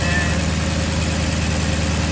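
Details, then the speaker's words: 2009 Maserati GranTurismo after serpentine and water pump belt replacement, front engine cover off: smooth steady low idle with light even injector ticking, no squeal or chirp; belts and pulleys running quietly. "Burn like a kitten. No noise, no squeak. All you hear are the lovely injectors clicking."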